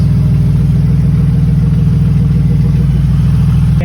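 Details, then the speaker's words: Grand Prix idling before being torn down to the cylinder heads: smooth, steady low idle with an even beat, no misses or knocks, all cylinders firing cleanly; running healthy. "it's running healthy sounds good he's hitting on all all"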